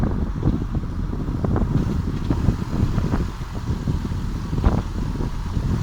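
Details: VW Passat 3C while driving: irregular hollow clatters from the wheel area, most audible at 0:06, 0:25, 0:32, 0:42 and 0:51, over road rumble and wind, pointing to a loose part at one wheel.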